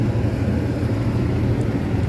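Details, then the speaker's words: Carrier ductable AC unit blower after the remaining screws were fitted: an even, steady low hum with no rattle, only mild vibration. Noise is much reduced from before, so it now runs normally. "Vibration हो रही है पर sound कम है। अभी जो मेरा नीचे खड़ा है टेक्नीशियन, उससे मैंने पूछा, वो कह रहा है अब साउंड कम आ रहा है।"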